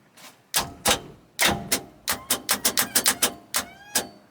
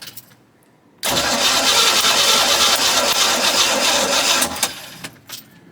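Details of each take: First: 1990 Cobalt 202 boat, engine locked up solid: turning the key gives sharp repeated clicks and clunks as the starter bendix engages the flywheel, with no cranking at all; starter reportedly new. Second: 1990 Cobalt 202 boat V8, previously locked up, now runs; coil wire disconnected so it cranks without firing to check compression across all eight cylinders; steady, even cranking rhythm, no dragging strokes, consistent compression.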